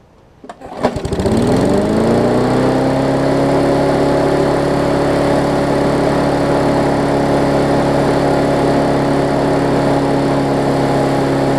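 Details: Newer Murray push mower, after adjusting the spring for throttle adjustment: pulls over, catches and settles quickly into a steady, even drone, normal running at correct rpm.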